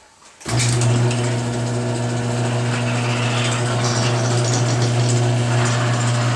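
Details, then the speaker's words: Garage door right after Royal Purple MaxFilm: steady opener drone with faint irregular squeaks and creaks; much quieter, remaining creaking suspected in hinge joints, worn metal seen. "Well, that was way better. I wasn't expecting it to be silent. Some of that creaking probably is in the joints, so I may go ahead and hit those too."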